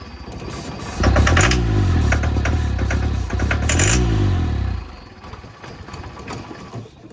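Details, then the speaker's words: Volvo 242 abandoned long in the woods: catches, surges unevenly with lumpy, stumbling firing for a few seconds, then dies; no knock heard; owner suspects it needs carburetor work and fresh fuel. "That doesn't sound good. So, I mean, it runs. It just needs... It needs carburetor stuff and fuel and all the things."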